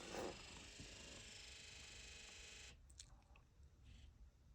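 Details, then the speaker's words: 7.3 Powerstroke diesel during key-on injector electrical buzz test via scan tool: steady raspy buzz under three seconds then stops; truck has running issues, IDM codes pulled, injectors suspected faulty. "so that's the injector is buzzing I don't know if you can hear it"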